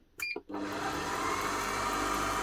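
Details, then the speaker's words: Kenwood Titanium Chef XL mixer after repair of worn brushes (E29 stopping error) and internal oil leak cleanup: brief clatter at switch-on, then a smooth, even motor whir with no sputtering, slight noise as grease works around. "No more spluttering coming from the motor. A little bit of noise from here as that grease gets worked around. That sounds a lot better."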